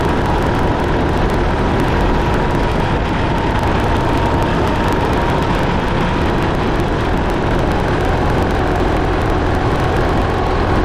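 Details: Case 188D diesel backhoe tractor after a year-long rebuild, driving on a four-mile road trip, good oil pressure and water temperature: steady, even drone at constant road speed under wind rush, no knocks or rattles; normal running under load.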